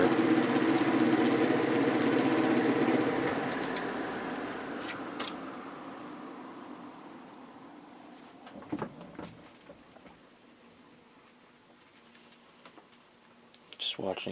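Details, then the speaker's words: 1950s GE F11W3 window fan, before oiling the motor: after switch-off the motor hum drops in pitch and fades in about seven seconds, stopping too quickly; owner attributes it to the motor needing oil; fan coasts down too quickly. "it spin down does stop a little bit too quick which is another reason it needs to be oiled"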